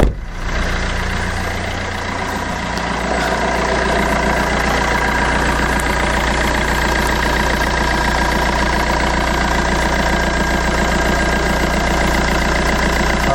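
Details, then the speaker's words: Fiat Doblo diesel idling after sump replacement, oil change, exhaust refit and turbo refit: a deep, steady, smooth idle with no knocks, misses or rattles over a low rumble; oil level dropped slightly after running; healthy. "sounds absolutely fantastic sounds great"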